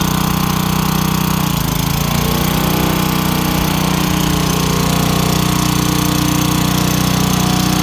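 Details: Craftsman wheeled two-stroke weed trimmer, long-sitting with missing spark plug, started with a few squirts: steady, even buzz with low drone at constant speed, no stumbling or surging; running healthy.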